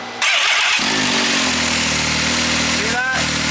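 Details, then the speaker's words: Engine started and left running after a coolant over-temperature code: harsh, gritty rattle over the exhaust note from one side of the motor, traced to the water pump, a stripped water pump drive gear. "that is what that's what your noise was though on this side of the motor totally makes sense water pump yep that's right there"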